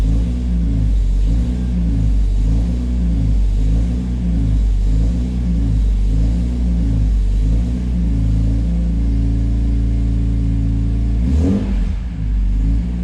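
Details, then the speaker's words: BMW S54 engine lukewarm, first start after dual section 1 resonator delete mod, recorded about 20 feet away: deep even exhaust burble at steady idle, smooth low rumble, no rasp or drone; sounds quieter and healthy. "i think i like it i think i like it we're gonna get some more clips but the first impression is good [Music] call me crazy but i think it's a lot quieter and i'm into it"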